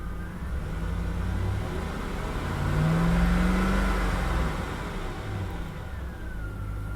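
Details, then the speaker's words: Chevy Suburban, two-wheel-drive extended wheelbase, at auction, check-engine light on; uneven, stumbling low beat at light throttle that smooths out as the revs climb; engine misfire that clears with throttle. "it's misfiring check engine lights on it's got a dead mess dashboard is all cracked up sounds like the misfire clears up when you give it some throttle"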